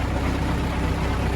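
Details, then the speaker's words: MTZ-80 tractor diesel, first start since November after winter, warm water added, poor compression: steady low idle with a hard repeating knock in the gearbox when PTO is switched off, stops when engaged; PTO had stopped working at season end. "назад його щось дуже сильно калатає коли виключаю вал відбора чути якийсь звук цікавий звук дуже цікавий"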